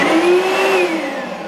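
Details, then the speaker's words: Oreck LW100 magnesium upright vacuum that won't stay on: motor whirs up to a high whine, then sags and fades within a second as it shuts off and flashes; cause is a locked brush roll. "starts up for a second then it turns off and it starts flashing"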